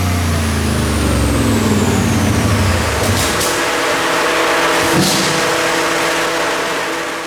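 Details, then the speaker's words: Boosted 4.8 V8 (project 8F8) making a high-gear pull after warm-up toward 160 degrees: pulls hard for a split second then note sags, labored and rough; driver's-side paper head gasket blew, puff seen by tire. "And unfortunately, what you just saw was the paper head gasket on the driver's side fail. So it came up on boost. You can hear it sounds great for a split second, and then it lays over."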